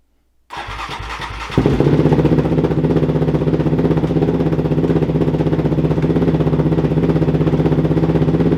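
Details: Rebuilt Raptor 700RR ATV after crash, first start with new tune, fuel pump primed: short crank, then fires and settles into firm even idle of about four pulses a second with no misses; sounds healthy.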